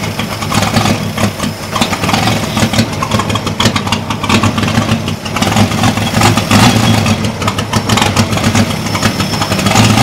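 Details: Holden 202 petrol six in a converted Caterpillar D2, just restarted after about 12 years: uneven, lumpy idle that hunts and stumbles with a coughing edge, with black smoke. Owner suspects the carb needle and seat are stuck open, flooding the engine.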